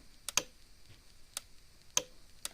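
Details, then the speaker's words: Cyclops Master fence charger pulsing with crisp, evenly paced clicks about once a second in a quiet room, a little slower than a Zareba 50-mile unit also present; normal operation. "is a little a little slower of a pulse uh like i got another unit back here clicking along a little zariba 50 mile unit"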